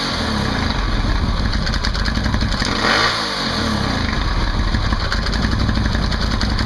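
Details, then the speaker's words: Can-Am Outlander 800 ATV just after installing a Highlifter 3G belt made by Dayco: engine runs steadily with one brief rev and no slipping squeal or belt chirp; belt tight and pulling well, normal CVT operation. "And there you have it. Fairly simple install. Belt's nice and tight. Seems to be pulling well."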